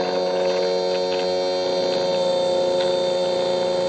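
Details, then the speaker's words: Bench test of an electric fuel pump (model 17301, rated 38 gal/h at 4–7 psi) run at 16 volts: steady mid-pitched hum with faint uneven pulsing; it labours and has very little suction, a weak, likely failed pump. "so it's trying to push out, you see that? Man, this has very little suction. We're at 16 volts. It sounds like it wants to."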